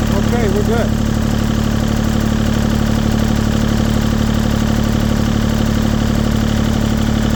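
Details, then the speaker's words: Warm diesel engine on a LeeBoy 1000 paver after fuel-system repair for starting then shutting down; preheat used, no codes, battery 13 V, oil pressure good: it settles into a steady, even idle and keeps running by itself. "let's try one more time preheats on engine's warming up the light cuts off engine's warm Crank It Up good up by itself"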